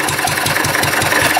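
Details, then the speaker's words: Wolseley single-cylinder engine just reassembled, with quite a bit of oil in it: fires fast and steady at about six beats a second, running too fast and not quite right, but running. "Oh, listen to that go, eh? Here we go. He's running. Sorta."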